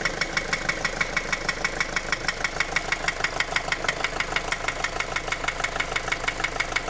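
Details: 2010 Opel Astra J 1.7 CDTI 125 HP diesel at idle: sharp, very regular knock about three per second, slightly quieter when warm; began after a clogged oil pickup, bearings checked fine, injectors replaced without help; cause unknown.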